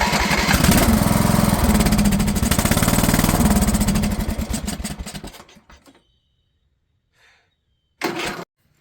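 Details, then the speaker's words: Craftsman LT1000 riding mower, Walbro carb: engine chugs evenly, slows and dies after about five seconds, then short crank fails to catch; acts like no fuel after fuel was shut off to test a suspected leaking float. "then it died and it won't start up as if it's not getting fuel."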